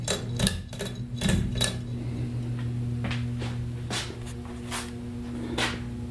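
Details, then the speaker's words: 44-inch Hunter Stratford II ceiling fan, circa 2008, on low speed gives a steady low 60-cycle mains hum with a few knocks and clicks; owner suspects the capacitor needs replacing. "I know you can hear it buzz and Hunter has been being quiet but this one is an exception probably cause it's like the post-2000 hunter and obviously the capacitor needs replaced so I shall do that when I get time that's why you hear the 60 cycle hum that's emitting"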